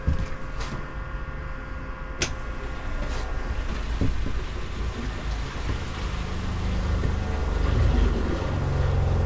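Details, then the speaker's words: Airstream trailer fresh water pump after replacement: low steady hum with soft regular pulse, no knocking or rattling. Old pump growled and rattled the trailer, partly from not being screwed down. "I'm waiting a few moments later much quieter much much quieter and not rattling the trailer around"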